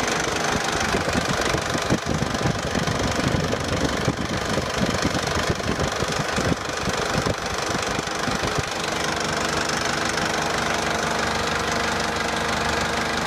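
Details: 2004 JCB 2CX (212S) with Perkins Tier 2 diesel at idle after the electric lift pump was replaced: an even clatter with regular injection ticks and no misfire or hunting. The sediment bowl now stays full. Normal diesel idle.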